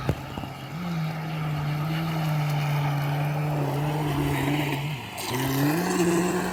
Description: RUNS WITH BROKEN CROSS JOINT (PROPELLER SHAFT CROSS JOINT)